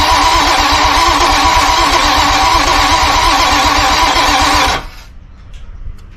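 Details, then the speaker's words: Grady White 282 hurricane-damaged boat engine, long unstarted: steady rapid cranking nearly five seconds, never fires; no fuel pressure, high-pressure pump tested; spray in throttle bodies produced a bang. "no it won't run I think we are gonna have to take the pump apart um there's like no fuel pressure at all"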